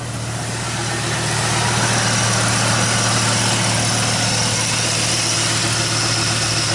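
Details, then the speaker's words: 1995 Dodge Ram V10 running on jumper-fed PCM 8 V reference after cold no-start: steady, even idle, smooth low hum, no misses or knocks; PCM internal 8 V regulator suspected bad, engine healthy. "that's crazy the sea fuel just fire right up hell yeah maintenance required lights on don't really care it works"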